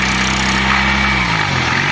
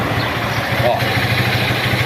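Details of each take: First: Single-cylinder motorcycle that wouldn't go past 20 km/h, started on carburetor fuel: steady idle with a fine tinny buzz over the exhaust note, a catalytic converter rattle that stops when pressed with a finger. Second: Single-cylinder motorcycle, engine rebuilt after standing 15 years, idling with the carburetor freshly adjusted. A steady, even putter with no knocks or misses; a healthy idle.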